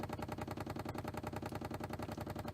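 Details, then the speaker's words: 1993 C4 Corvette lumbar pump after diaphragm repair with a bicycle inner tube, tested before refitting the seat: quick, perfectly even pulse about eight strokes a second, no stumbles, lumbar inflating; normal running. "you can try out the button and see if the lumbar pump and you can hear it going and I want to say it looks like yep"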